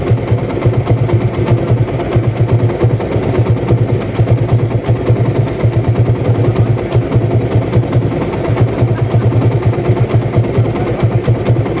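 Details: TVS Apache RTR 160 after replacing the timing chain tensioner assembly to cure engine noise: steady, even idle thump with no ticking or chain rattle on top; engine settles smoothly and sounds healthy.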